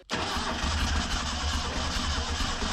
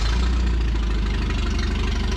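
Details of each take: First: 1974 Datsun 620 pickup abandoned 45 years, fuel squirted into the carburetor: steady starter cranking for several seconds with weak uneven firing puffs that never catch; owner suspects ignition timing is off. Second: 1974 Datsun 620 pickup revived after 45 years, carburetor cleaned and tuned with delete kit, valves full of crud, alternator not charging: steady, even low idle with light patter, no knocks or misses; runs smoothly.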